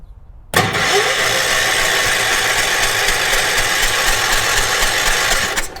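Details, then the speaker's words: 1980s New Zealand-built ORVCO Transtrack UTV, cranking: starter churns the engine steadily for about five seconds but it never fires. "Choke on. Choke closed. And start it. Nothing. All right. So, this is where I'm at now. No spark."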